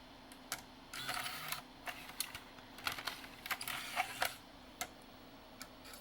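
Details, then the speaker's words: NEC-based CD-ROM drive (Intersect CDR-84) with a weak laser, running after lens cleaning and with shields refitted: irregular clicks and short scraping buzzes about four a second as the servo hunts; pressed factory disc test still to try. "yeah it's got a Servo issue for sure I'll have to try pressed disc and see if it happens with an actual Factory CD"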